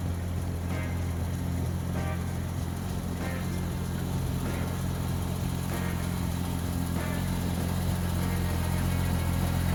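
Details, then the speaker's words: 1965 Mustang's first start after sitting about a year under a winter cover, carburetor needing several cranks; steady, even idle with a low smooth rumble, no knocks or misses, no oil or generator light; running cleanly. "Up. There it is. Purr like a kid. That's my girl."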